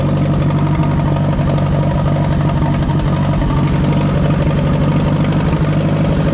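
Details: Oliver 550 tractor engine, oil change uncertain, just fired right up before hydraulic pump replacement: steady, low, even chug with no misfires or knocks; normal idle.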